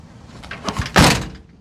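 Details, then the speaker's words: 1997 Geo Tracker door, before sound deadening (Butyl mat and rope): light rattles then loud booming, ringing, tinny hollow thud on closing. "All right, I tried to give you guys an idea of the sound difference. Here's the before"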